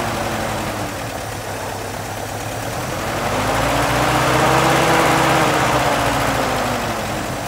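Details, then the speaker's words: M38A1 Jeep first run to assess it: even, steady beat swelling gently with a small rev and settling, cobwebs burning off; carburetor will need cleaning before longer running. Normal running. "not too bad yeah sounds good running fine cobwebs are burning off"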